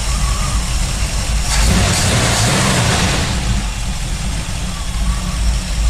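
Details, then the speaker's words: C10 with a small-block Chevy 305 V8, warmed up after a few minutes of driving (it smoked and sputtered when started earlier): smooth, deep, even rumble, idle settling lower without stumbling. Normal warm idle. "now after a few minutes of driving I've got her up to temp she wants to run well if you can hear the idle turn"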